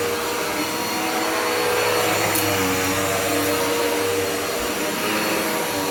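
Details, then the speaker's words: Dirt Devil Powermax upright vacuum after clearing a clog that made it sound off: steady even motor whine with smooth airflow rush, no surging or choking; pulling freely, normal running. "i'm back with the dark devil it was clogged up when i did a test run um i did not realize that it was until i turned it on uh let's see this is what it sounds like now much"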